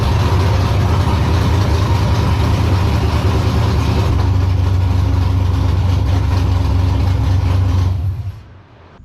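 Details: E82 pro drift build on its first start, warming up: a deep, steady exhaust rumble at a settled idle with no hunting or surging, then shutdown. Adding an extra foot to the exhaust pipe fixed the earlier problems; it runs smoothly.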